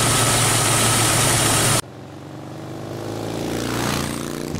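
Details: Jeep Wrangler YJ (no factory AC) idling with belt-driven onboard air compressor, new idler pulley and serpentine belt: loud rush cuts off as compressor clutch releases at 125 psi, leaving a steady even idle with low hum; healthy.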